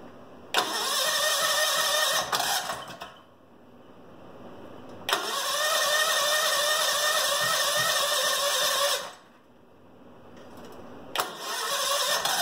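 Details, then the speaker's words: Go-kart (Goofy Cart 2) small engine, first start in about 20 months since the rebuild, in a freezing shop, fed from the gas tank: fires readily three times and runs at an even, buzzy pitch; normal start and run. "that's the first start in a long time and that's pulling from the gas tank"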